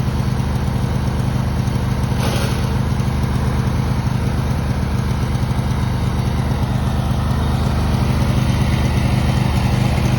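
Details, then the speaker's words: Riding lawn mower running with clutch released: constant low engine drone with a rough, gritty grinding undertone from a belt system under the seat; suspected worn pulley needing replacement, not confirmed. "it looks like it's just needs a pulley replacement the pulleys when they get old they just start making that grinding sound"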